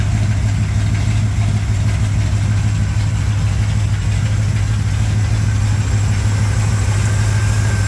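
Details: 1987 Chevrolet K10 4x4 truck, first run after blown head gasket replacement, warming up: deep, even V8 burble at idle, steady rhythm with no ticking, knocking or stumbling; normal healthy idle.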